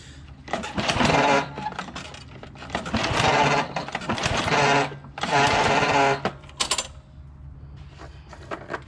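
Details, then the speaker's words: John Deere JX75 walk-behind mower after drive cable replacement: repeated whirring pull-cord bursts about every two seconds, engine never fires; spark plug not put back on. "Just trying to start it right now. I remembered, oh son of a bitch, I didn't put the spark back on, by taking up all that slack."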